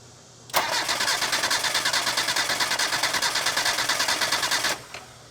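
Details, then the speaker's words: Mazda Miata engine cranking for about four seconds during compression test, about three even beats per second, no weak stroke; cylinder reads around 120–125, cylinder two lower, possibly worn rings. "tyler's gonna crank it over what do you do like four times uh yes about it's really for like four seconds"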